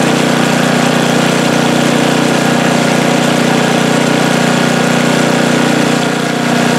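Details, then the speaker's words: Snowblower small engine after squirrels chewed the gas cap and water got into the tank, with fuel tank, hoses and carburetor serviced: steady even drone, no surging or dying; normal running after the fix. "That sounds a lot better, doesn't it? No more stalling, surging. I think we fixed it."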